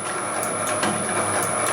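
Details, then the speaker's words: Homemade materials processing machine (copper cutter/can crusher) after freeing its sticking gate with silicone spray: steady mechanical hum, high whine, light regular ticks; ran 35-40 minutes without the motor getting hot, air moving over the motor; running normally. "and it didn't get hot. Because even running at that speed, you can still feel air moving over the motor."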